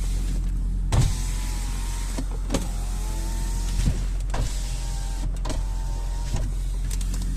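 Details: Toyota Prius with 332,000 miles: several smooth electric whirs of about a second each, steady even pitch, no grinding or clicking; power window motor running normally.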